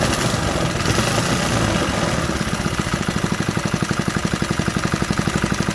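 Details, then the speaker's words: 1968 Briggs and Stratton 2.25 hp single, first fire after sitting decades, on table: rough at first, then settles into quick even putter, idling on its own; normal idle. "Molding that all the way in. She's idling on her own."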